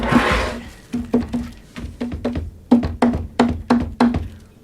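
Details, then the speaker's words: 1966 Fender Deluxe Reverb combo cabinet rattle: sharp taps on cabinet each followed by short buzzy rattle; logo emblem has play and vibrates against its screw. "So the logo, the emblem here. Not sure if you can see that, but it's got a little bit of play and it's vibrating back and forth and it's hitting that screw."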